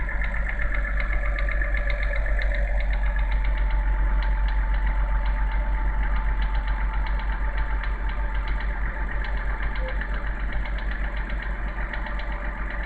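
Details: BMW N52B30 engine: on cold start a fast, light, regular knocking over a steady idle, which disappears once warmed up and revs drop to idle; start-up knock, source not pinned down.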